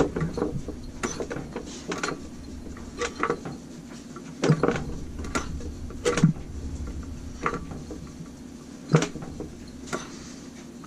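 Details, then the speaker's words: Briggs & Stratton IR6 engine with the hand starter removed, turned slowly by hand. It gives a firm, even puff and click every second or two. Good compression; the valves and piston likely need no work. "burping yep it's got compression yep so she's got good compression"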